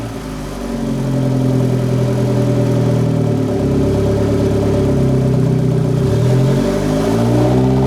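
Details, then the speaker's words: Turbo-build car, downpipe fitted, started while adjusting idle for ECU regulation: steady, even idle, slightly lower than usual, with clean blips rising and settling without stumbling or bogging; engine healthy. "For right now, it's idling. It might be idling a little high. No, actually, that's lower than where it normally idles."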